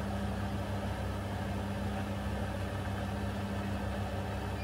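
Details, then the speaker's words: Bosch Serie 4 washing machine, 4 months old, final fast spin of 30-minute quick wash, camera two feet away, normal speaking voice audible over it; smooth low even hum, no knocking, grinding or rubbing, very quiet. "if you can hear me speaking i'm only speaking in a normal voice not loud or anything so if you can hear me above this spin i think that'll give you an idea just quiet this machine is"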